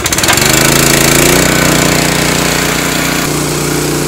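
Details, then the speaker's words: Honda GX160 powering a Ridgid 90135A air compressor, after a new ignition coil and plug cap for hot shutdowns, high idle set to about 3,600 rpm: steady single-cylinder thumping with no misses or surging; running normally under compressor load. "so far there's the kick down so if I opened up the safety valve it would let air out of the tank and then it would kick the RPMs up to refill the tank"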